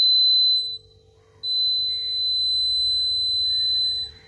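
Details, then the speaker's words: DIY water tank level alarm (buzzer wired to a charger with two sensing wires set at the chosen level): shrill steady buzzer sounds under a second, stops, then holds about three seconds as water touches the wires. "అప్పుడు మనకి water దీనికి తగిలినమ్మంటే మనకి ఈ విధమైన sound అనేది వస్తుందన్నమాట."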